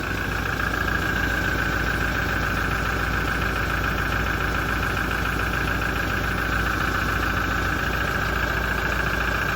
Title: 2017 Toyota Diesel engine noise issue after major service - engine knocking and rattling